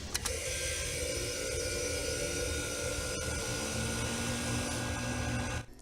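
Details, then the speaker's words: EL-11 / EL countertop freezer with thermostat wires bypassed and joined by wire nut: compressor starts immediately on power with a click, steady even hum with faint whine, then shuts off cleanly; running normally. "shown here is the compressor starting as soon as the freezers connected to power"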